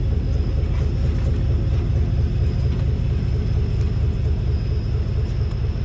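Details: 2018 Chevrolet Silverado with a 3-inch leveling kit, driving after front suspension work to chase a noise: only smooth road rumble and tyre noise, no clunk or knock; normal front suspension while driving.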